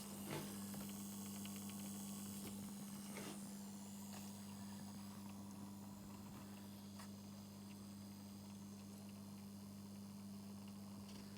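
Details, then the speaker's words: 2019 Lynx Ranger Pro forestry snowmobile, high mileage, newly fitted coolant pre-heater plugged in: quiet steady low hum, no knocking or rattle; circulation pump running normally. "We should be able to plug this in now and something should happen. Right. Well, we can hear the pump running."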